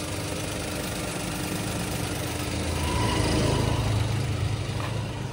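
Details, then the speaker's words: Toyota Wigo idling after repair: quiet, steady low idle with a smooth even beat, no tapping or misfire; earlier typewriter-like noise gone. Noise linked to water drawn into the air intake in heavy rain causing a blockage. "Oh, napakatahimik na ng kanyang andar mga boss. Malayong malayo na dun sa ano."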